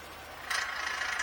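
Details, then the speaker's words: 2020 Ford F-150, front integrated wheel end partly engaged at about five inches of vacuum while the axle turns: fast, dry metallic ratcheting rattle over a quiet engine; needs nearly ten inches to disengage. "hear that rattling so the axle's turning but this iwe is partially engaged you see it rattling on that"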